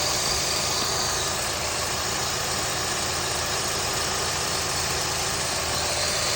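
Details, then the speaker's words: 3rd-gen Honda CR-V K24 engine with old serpentine belt squeaking on acceleration, after spraying belt and tensioner and letting dry 30 minutes: steady quiet idle, even hum, no chirp; squeak absent, belt suspected rather than tensioner or pulley. "and no noise, nothing, which is great."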